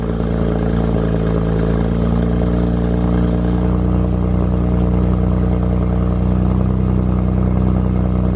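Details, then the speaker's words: BMW 135i twin-turbo: steady petrol idle with light uneven metallic clatter, suspected turbo wastegate rattle; turbo wastegate rattle. "sounds like this car house wastegate rattle"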